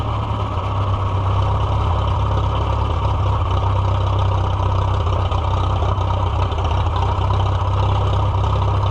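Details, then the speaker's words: Farmall F-12 tractor on steel, auction find being revived, air tube off, rusty tank and possible carb rust: runs with low, slightly uneven thump about four per second then dies; choke not working right, rough running, fuel starvation suspected. "Well, darn. Well, canute. I was just about ready to drive it and then it died. My choke is not doing the thing right."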